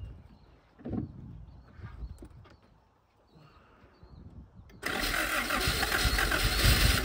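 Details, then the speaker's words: 1977 Honda Civic, last registered 1987, first start in 37 years, no fuel system, fuel poured straight into the carburetor while cranking: catches and holds a ragged idle; owner calls it a success. "okay I'm going to call that a success that's pretty good for no fuel system not touching anything"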